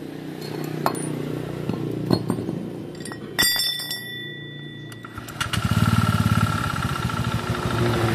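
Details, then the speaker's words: Honda Vario with oil consumption, oil leak and rough engine, run on the stand with the CVT removed: a hard rap on every firing pulse from inside the engine, a knock in the crankshaft, connecting rod and shaker area. "Oke teman-teman, ini suaranya dari dalam mesin. Saya juga tadi agak masih ragu kalau bisa jadi itu suara CVT, rumah roller atau apa di sana."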